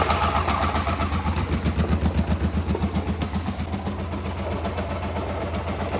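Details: 2007 Hyosung GT650R V-twin at idle: rhythmic galloping grind, loudest from the cockpit between 1,000 and 3,000 rpm and gone above that. It occurs with the clutch in or out, in neutral or gear, oil just changed. Bearing failure suspected.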